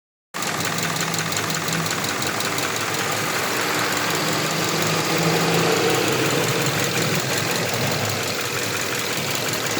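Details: Subaru Impreza FB20 boxer engine idling: light fast tick about three per second over the hum, heard around the pistons on each side; owner wonders whether the valves need adjusting, cause unconfirmed.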